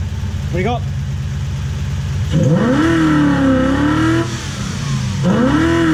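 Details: Toyota Hilux 2WD pickup with a Lexus 1UZ-FE V8 swap, after repairs including correcting ignition timing that was 30 degrees out (was 40° BTDC): clean revs rise and fall smoothly with an even firing note and no misses or knocks; normal revving.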